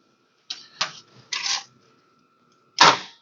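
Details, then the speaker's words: 1969 Imperial LeBaron, off the road for over 30 years, jumped straight from the battery to the starter solenoid: sharp separate clicks with no cranking. Owner suspects a bad relay, battery cable or wire; engine does not crank. "positive do you hear it it was clicking makes me think that relay might be bad too"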